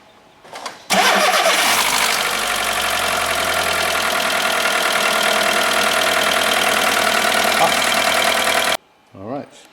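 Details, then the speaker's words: VW Golf 1.4 petrol after timing belt work, idling with cap off to bleed coolant, heater full, about half an hour until the fan kicks in: clean start, smooth even tick-over, no knocks, no airlocks, no pump leak. "Now we've left this ticking over about half an hour. The fans just have to turn it on."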